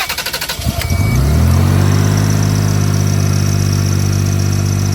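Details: 2005 Toyota Highlander with an intermittent no-crank, starter relay circuit under test: a short burst of quick starter cranking, then the engine catches, flares and settles into a steady idle; it starts normally.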